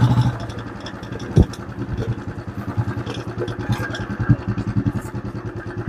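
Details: Royal Enfield Classic 350 ridden on test after repair: steady single-cylinder thump with a couple of light, isolated knocks over bumps from the front/handlebar area; heavy knocking fixed, light noise remains.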